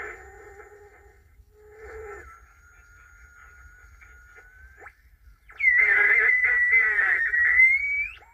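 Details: 1950s Angell 6-transistor AM radio, first power-up after resoldering and fitting batteries: a wavering high whistle over crackly static and choppy bursts. The owner suspects bad capacitors or the antenna; not confirmed.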